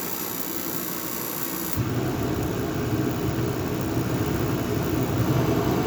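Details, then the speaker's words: Craftsman 60,000 BTU forced-air propane heater running in a garage for about 15 minutes, warming it about 15 degrees: loud steady roar that deepens after a couple of seconds, then holds even with no pulsing; extremely loud but working normally. "So it's been running for about 15 minutes and it's warmed up, I think, around 15 degrees. One thing that you'll notice is it's extremely loud."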